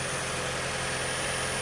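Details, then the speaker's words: 2012 Toyota Prius, first cold start of the morning, which usually brings knocking, after a cylinder 1 misfire (P0301), new ignition coils and intake manifold/EGR cleaning: steady smooth idle, no knock and no check engine light; fixed. "this will be the first cold start in the morning that usually starts the knocking so you know this would be the true test right here so let's see if it worked no check engine light that's good"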